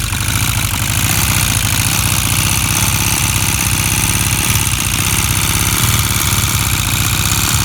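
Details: Honda CB400 motorcycle engine at steady idle with a fast, light ticking riding over the engine note; the owner suspects engine ticking, and the source of the tick is unclear.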